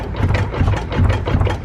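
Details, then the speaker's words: Old Chrysler with engine running, drive shaft visibly jumping up and down; dull repeated clunks and popping coming from inside the rear differential, possibly what caused the transmission failure. "And you can hear the clunk. That's the So issue. all that noise is coming from the inside of the actual rear end."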